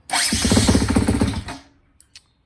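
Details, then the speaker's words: 2010 Husqvarna TE250 after replacing the starter worm and wing gears to fix sluggish electric starting: starter spins the engine briskly and evenly with a quick regular chug, no dragging; problem fixed. "okay so this is the sound of the starter with the new worm and wing gear in a lot and better"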